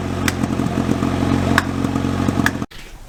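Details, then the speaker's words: Honda H22 built engine with turbo, first start, no O2 sensor fitted, fast rough loud idle with sharp sporadic pops about once a second before cutting off; owner suspects running a little rich because ECU lacks O2 sensor; no leaks. "so it runs it doesn't leak it pops because I don't have my Oh to censor on it and it doesn't know what to do with itself so it's probably running a little bit rich"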